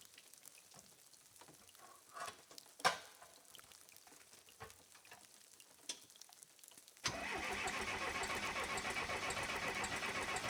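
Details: Case 580CK backhoe with a 188D diesel, first start after a thermostat replacement for running cold and a coolant refill. The diesel fires promptly and settles into a steady, even clatter at idle, which is normal.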